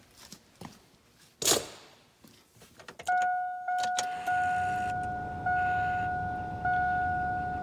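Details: LB7 Duramax, replacement lift pump priming at key-on after shortening the return fitting spring to lower CP3 supply pressure (fix for idle lope/surge): steady mid-pitched electric hum with slight periodic steps; pressure firm around 9.6-10, no longer bouncing.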